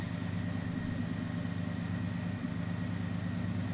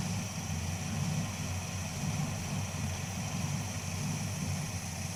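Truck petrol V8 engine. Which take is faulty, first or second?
second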